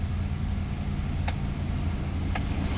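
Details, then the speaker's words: Proton Waja auto 1.6L 4G18 with idle stepper motor (IACV), AC switched back on: steady low idle with light clicks as compressor kicks in, rpm holds firm; normal. "Tunggu AC kit on. AC si kick on. Cantik. Alright. Reading pun okey."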